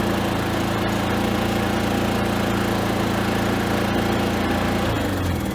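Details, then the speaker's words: Predator 3500W Super Quiet inverter generator running on propane after the conversion kit install, idle mixture adjusted and locked: a steady, quiet, even hum with no misses. "This thing's quiet, isn't it?"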